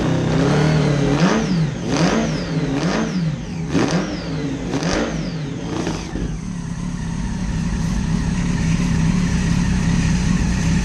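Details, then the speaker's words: Neglected 2011 Yamaha FZ1 motorcycle, first run after sitting: five sharp throttle blips about a second apart over a loud, raw exhaust, then it settles to a steady idle; the engine runs fine. "It's so loud. Okay, that's good. The neighbors are going to be mad. Cool. It runs."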